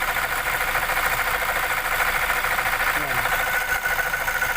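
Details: 2017 Toyota Fortuner diesel idling with a loud, constant rough whirring from the alternator; worn alternator bearing, only the bearing needs replacing.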